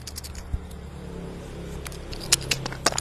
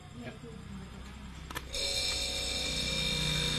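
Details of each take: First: One-door refrigerator whose light works but which does not cool: the removed compressor start relay gives a dry, sandy rattle of loose bits inside when shaken, which by this shake test means a 90% chance the relay is broken. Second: Single-door refrigerator with the light on but not cooling, just plugged back in after repair: the compressor kicks in and settles into a steady, even hum with a faint whine. The discharge pipe is hot and the inside temperature drops from 28 degrees. Normal compressor running.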